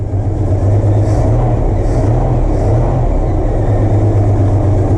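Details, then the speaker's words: Mopar Slant Six with a newly swapped supercharger, just fired up: a deep, even idle with no rattle from the new blower, unlike the death rattle of the old one; slight squeak, probably from the belts or possibly the blower; normal idle. "Wow, that is quiet. I hear the slightest bit of squeak. It's probably from my belts."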